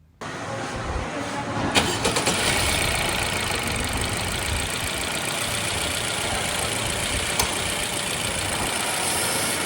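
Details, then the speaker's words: Honda Civic RS Turbo after a new serpentine belt, tensioner not yet replaced. Engine cranks, starts and idles with a steady hiss and whir still from the belt drive, about half the original noise remaining; the tensioner is likely the cause. "Start करने के बाद मैंने आवाज़ खुद भी सुनी है और आपको भी सुना दी है कि इंजन के अंदर आवाज़ 50-50 है, मतलब कह लें कि 50% आवाज़ ख़त्म हुई है और 50% आवाज़ जो है वो स्टिल अभी भी आ रही है।"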